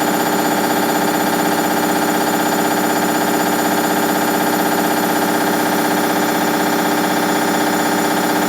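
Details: Hoover Dynamic Next DXA 48W3/1-80 8 kg 1400 rpm washing machine: loud steady high-speed spin roar with even pulsing about two beats per second; spider, bearings or overloading suspected.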